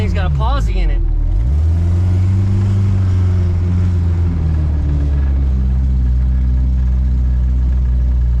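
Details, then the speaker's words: Supercharged 1971 Volvo 1800E four-cylinder with T-5 five-speed: uneven, shaky low rumble that lurches and stumbles; rough running, owner thinks it is spark, with the MSD box needing proper mounting, and low compression suspected earlier. "it that sounds like spark all right guys she needs some love"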